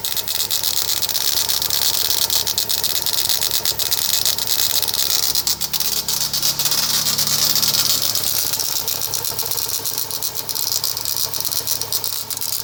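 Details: Rattle from the crankshaft pulley on an EA111 engine at idle: light, irregular metallic ticking and rattling from the front pulley area; cause not yet pinned down.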